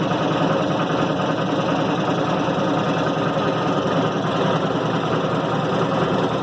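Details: 1990 Maytag LA211 washer on spin: continuous low groaning drone with a faint irregular churn. Belts, brake and the brake bearing have already been replaced; source still unknown.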